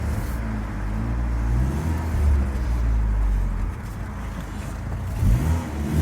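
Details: Rover 820 Turbo Vitesse coupe, manual, restarted after sitting about two years, driving: low throaty drone rising and falling with throttle, raspy chuff underneath as it pulls, sporty but not right; exhaust blowing at a joint, exhaust leak.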